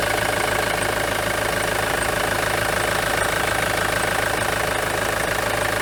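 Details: Ford Transit 2.4 TDDI Duratorq diesel with a misfire at idle and at partial throttle or light loads; steady idle with a regular stumble roughly three a second, a cylinder not firing cleanly.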